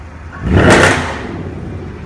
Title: A car making a loud sound coming from the exhaust